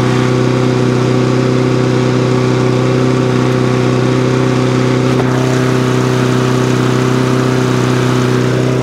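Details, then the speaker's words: Briggs and Stratton lawn mower engine after carburettor clean, main jet refitted: small single-cylinder holds a steady, even buzz with no misses or surging; starts, runs and cuts as it should. "there you go start stops cuts does what it should do"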